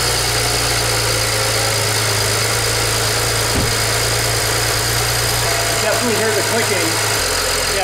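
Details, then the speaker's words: BMW E90 (N5x engine) first start after cam bearing ledge/VANOS repair: fast light ticking over slightly uneven idle, quieting a little; owner suspects fuel injectors, to be replaced, says it has always sounded like this; no fuel leaks. "no leaks that's good no fuel leaks so it's quieted down just a little bit now you can definitely still hear it's clicking clacking and it's not running perfectly smooth again i think it's down to those those fuel injectors we will be changing them very soon"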